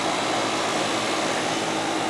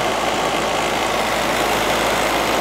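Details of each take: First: Goodman AC condenser with TXV during yearly maintenance, charge checked with superheat and subcooling within 3: smooth steady air rush with low constant hum, no rattles or squeals; running normally. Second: Goodman AC condenser with rodent-chewed wiring: steady fan rush with faint low hum, compressor not starting; bad/fried capacitor suspected, not confirmed.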